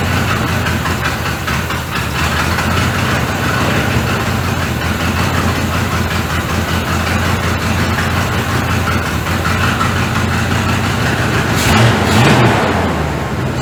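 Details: 1985 Chevy C30 after diesel-to-gas engine swap, after timing set and spark plug wires moved; the big V8 that had idled well now idles lumpy and struggling, with heavy smoke; cause unconfirmed.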